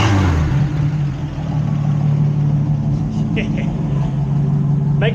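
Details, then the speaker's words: 1973 Plymouth Scamp, Slant 6 engine, with a pump shot of fuel and the muffler removed: loud, deep, raw exhaust drone at idle with blips, no muffling at all, running straight-piped. "I'm gonna go grab the keys, fire this thing up, see what it sounds like straight piped. So anyway, let's throw a little bit of fuel at this thing. A little pump shot. Prepared to feel how loud the Slant 6 is?"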